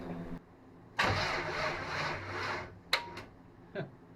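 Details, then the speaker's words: Small-block Chevy 350 (taken from a '46 Chevy) in a '55 Willys wagon, first start attempt with a new fuel pump and a temporary gas tank. About 1.5 s of sluggish, dragging cranking that never catches, then clicks: the battery is too weak and needs charging. "Yep, that goes a bigger one. Let me charge the battery."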